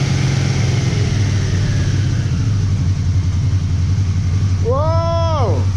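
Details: Motorcycle first start after repairing the starter clutch and fitting a new stator and regulator, on jumper leads: catches cleanly and settles into a steady, even idle with no knocks or misses; charging about 14 volts.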